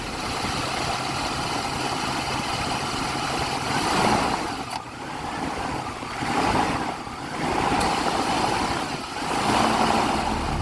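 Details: Jeep XJ idling with AC on after AC compressor clutch repair (shim removed, clutch hub refitted), warming toward operating temperature: engine idles evenly, fan noise swelling and easing every couple of seconds, no knocks or squeals; healthy.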